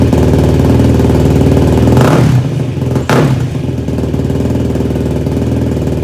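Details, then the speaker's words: Yamaha YFZ450 single-cylinder quad after rebuild and carb rejetting, restarted with fuel petcock now turned on: stumbles and dips twice before settling to a ragged idle; runs better but rough, owner says jetting still needs adjusting. "So we're gonna have to mess with the jetting a little bit still, but it obviously runs better with the gas turned on."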